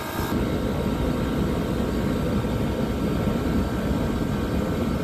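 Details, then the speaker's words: Copeland digital scroll compressor running at 100% capacity: a constant deep rumbling drone with no solenoid clicking back and forth, which is normal steady full-load running. "okay so now it's not doing it's clicking back and forth because we're doing 100"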